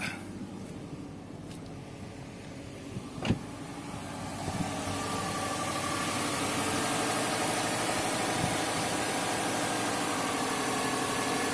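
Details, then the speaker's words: 2005 Subaru WRX wagon, first start after replacing both valve cover gaskets and spark plugs: engine catches after about four seconds and settles into even steady idle, no misses or ticking. "Check the leaks. Engine's idling good."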